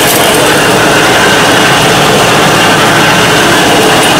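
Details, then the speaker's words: 1995 Dodge Ram 1500 with the rear raised on jack stands, in gear with the wheels spinning: loud constant rattling gear drone, louder with speed and heard when coasting; rear differential whine, likely one or both pinion bearings. "That's what the noise is. The faster you drive, the louder it gets. These Dodge Ram trucks are notorious for their pinion bearings going bad,"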